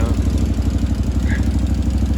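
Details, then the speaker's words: 2013 Can-Am Maverick 1000R idling: low, lumpy idle with a rapid puffing pulse from a bad exhaust leak; the rear header flange is barely bolted down, with one bolt about to fall out. "So, I was letting it idle and I don't know if you can hear that. There's a pretty bad exhaust leak right there."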